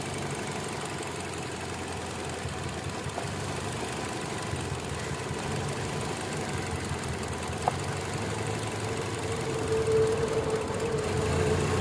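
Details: Kia Optima petrol engine idling with an uneven, stumbling low-pitched beat; misfire code set, caused by an ignition coil that is not working.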